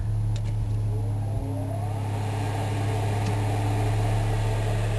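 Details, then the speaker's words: Onan RV generator after header weld and new muffler, carburetor needing cleaning with backfire issues, under load powering an oven; uneven, wavering drone with stumbles as load comes on, still needs adjustment. Rough running under load. "Oh it's under load didn't like that too much but it is generating the power to run my wonderful complete meal oven at this point although it sounds like it still needs adjustment"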